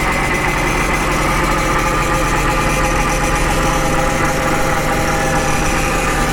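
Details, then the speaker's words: 2011 BMW 328i xDrive at idle after topping up power steering fluid, AC on: even idle with a faint steady whine from the power steering pump while turning the wheel; pump working fine. "You should be hearing that pump as I turn that wheel, though. So you can hear it."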